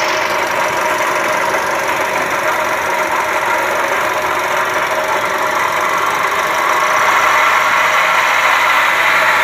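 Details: Toyota Calya/Sigra petrol engine at idle: coarse, gritty growl from the engine bay, customer complaint of rough noise; inspection found a faulty water pump, fixed by replacing the water pump assembly.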